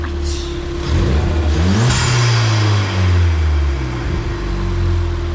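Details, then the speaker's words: Ford Fiesta ST just after installing new NGK spark plugs at stock gap: a smooth, even idle that climbs cleanly through a quick rev and settles back with no missed beats. Normal running, no misfire. "How do you know if it misfires? You'll hear it. Oh. Yep. She is sounding good. So It sounds like a whip."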